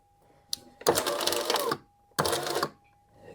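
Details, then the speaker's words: 2011 Mercedes E-Class door window regulator: two short bursts of motor whir with rough grinding chatter as the window tries to move; owner suspected gears, likely the cable broke at one end so it only pulls down. "Ooh, this sounds like it could be the gears in here."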